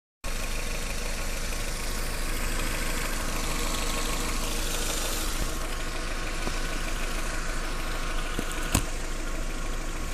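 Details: 1.8T petrol engine, warm: dry rustling rattle over idle from under the valve cover at about 1300-1800 rpm, never when cold; replacing the cam chain tensioner eliminated it.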